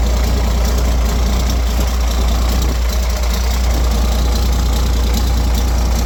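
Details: Roadtec paver diesel after fuel filter change and exhaust/air intake repair (was starting, sputtering and shutting down): deep, steady idle holding an even beat without coughing, surging or dying; sounds healthy.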